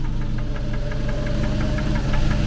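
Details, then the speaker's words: Engine after a breather fix that cured the rough idle and hesitation: steady idle with one sharp, regular tap over the engine; a single tick, possibly one valve, unconfirmed, being watched to see if it worsens. "Mais c'est vrai qu'on l'entend ce fameux tac."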